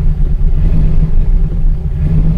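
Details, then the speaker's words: 2000 Chevrolet Silverado, 5.3L LM7 V8 with VS Racing 7875 turbo, just after swapping in a Summit SUM-8701 cam, untuned: low lumpy rumble with uneven sagging pulse, fires but won't hold idle without pedal, stalls; idle timing and airflow retune planned. "this is what it does if I try and start it without touching the pedal turn the heater off here so it kind of fires tries to start but won't stay running"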